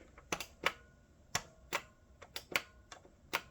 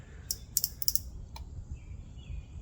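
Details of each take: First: Salvaged vintage CRT monitor, power button pressed repeatedly: sharp, crisp plastic clicks, switch actuating normally after the broken plastic button-extension piece was replaced with a wooden skewer. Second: Vintage CRT monitor rescued from an abandoned house, powered on: sharp, irregular snapping ticks over a faint hum; high voltage arcing seen coming from the flyback transformer.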